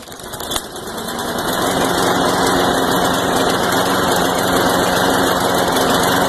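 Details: Craftsman Ready Start push mower, Briggs & Stratton 6.5 HP, after carb clean and reassembly with fresh fuel: single-cylinder engine catches and settles into a loud, slightly ragged beat that never smooths out; hard start/no start history, rough running, cause not pinned down.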